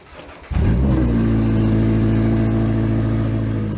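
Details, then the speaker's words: 2025 Toyota GR86 during JDL front pipe and overpipe install, exhaust disconnected at the headers: the engine catches and settles into a very loud, raw, unmuffled buzzing idle, like open headers. Open exhaust at headers. "Oh, [ __ ] I forgot. The exhaust is disconnected."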